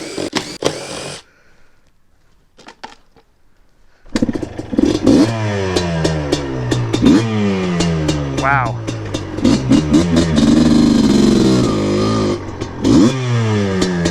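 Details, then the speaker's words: Yamaha Blaster two-stroke quad after a rebuild, with the airbox lid removed after it ran choked, seemingly rich, with the lid on: revs climb crisply in quick blips, pulling clean and sharp with no bogging. It runs strong now, though jetting is still needed. "you can hear the difference whoa dude that's insane holy [ __ ] damn I know it makes a difference but not that oh my God this thing runs great now"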